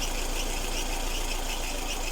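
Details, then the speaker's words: Lada Kalina, engine hot, idling with a steady high whistle from a drive belt; owner sprayed silicone lubricant on it and the whistle seems to have stopped. "такой вот свист такая вот силиконовая смазка вот как-то вроде перестала"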